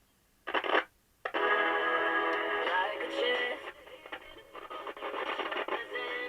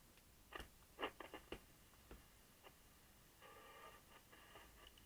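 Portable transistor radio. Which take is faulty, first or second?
second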